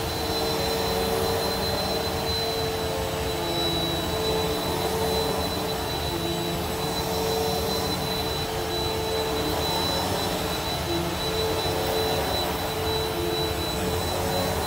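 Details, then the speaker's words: Bissell PowerForce Helix purple brushroll after replacing its bearings, with a new belt fitted; steady even motor hum and brushroll whir with no rumble, squeal or grinding; bearings spin freely. "let's hear how smooth it sounds that's almost like brand new i have a new belt on there too"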